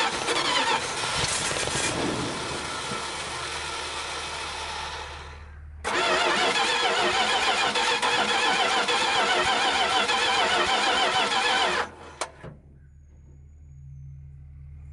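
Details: 1973 Dodge D100 at its first start attempt in 10 years, with a battery put in and fuel poured into the float bowl: the starter cranks in steady bursts, with pauses between tries, and never catches. The engine does not fire.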